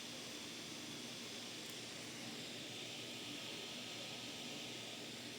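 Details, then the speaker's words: Monster Abra A5 v16.6 gaming laptop after maintenance for fan noise and overheating: both fans give only a soft, even airy whir with no ticking, rubbing or whine. Normal, quiet fan operation. "İkisi de sessiz bir şekilde çalışıyor."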